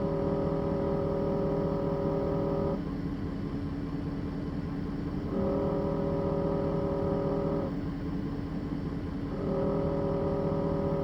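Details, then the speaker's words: Rattle from a vibrating transmission dipstick tube on a 2017 Ford 6.7 Powerstroke diesel at idle: a droning buzz that stops whenever the tube is held and stabilized and returns when it is released; long mistaken for a noise from the wiper motor area. "So whenever you were listening to it just a second ago of it vibrating and then it stopped vibrating and then it vibrating, every time the noise stops is when I grab it and stabilize the dipstick. Every time I let go is when you hear the vibration."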